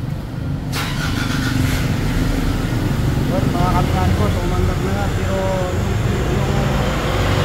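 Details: Nissan Navara diesel that was towed in because it would not start, with a defective boost sensor. A sharp catch, then a steady, even clatter with no stumbling. It starts and runs normally again.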